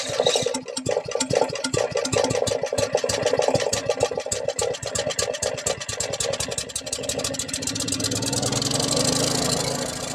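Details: $100 used generator, long sitting, with a rebuilt carburetor and a bad leak: sharp uneven firing pulses as it catches, then it settles into a steady, fuller running hum; it starts and runs normally.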